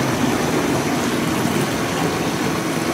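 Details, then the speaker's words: GE Potscrubber 970 dishwasher on a wattmeter, filled with cold water, heating coil on, washing: even rushing water spray over a soft low hum with mild machine vibration, no knocking, grinding or rattles; normal wash cycle. "really nice and it sounds good you just feel the vibration of the machine nothing to speak of"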